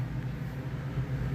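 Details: 1986 Camaro V8 running through a pieced-together open header after the cap and rotor were cleaned and the timing was set by ear; deep, loud, even burble with a steady low beat; runs smooth and sounds about right.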